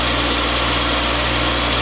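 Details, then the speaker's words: Old grinder/polisher first run after wiring: steady, even motor hum, constant pitch, no wobble, knocking or vibration; spinning the right direction, running normally. "it's spinning the right way the first time yay and it works this is going to be good sounds good doesn't it no vibrations"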